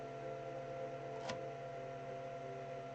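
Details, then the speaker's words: Creality Halot 1 resin printer, first prints: one soft pop over a quiet steady hum as the layer peels off the film, normal sign the model is still attached to the build plate. "it's not super loud but it's not too bad either it's uh it lets you know that it's popping and when you hear that noise every time you know that your model is still on the building"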